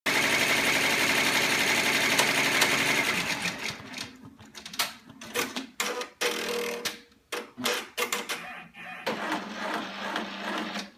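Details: Baby Lock Enterprise 10-needle embroidery machine stitching fast with a strange, hard, uneven rapid knocking and a thin high whine over its rattle.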